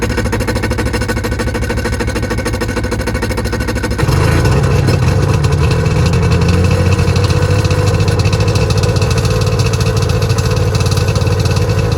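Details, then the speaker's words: Auction Waverunner two-stroke with rebuilt motor, borrowed battery and old fuel: a throttle blip at about four seconds, then settles into a steady, even run with no knocking or misfire; runs well. "So I rebuilt the motor that I didn't really have to, but it runs really good, so it was good to do it."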